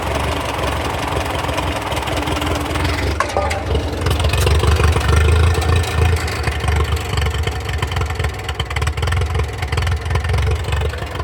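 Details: TO35 tractor engine idling with a low, steady chug; the loud ticking is gone and it sounds healthy.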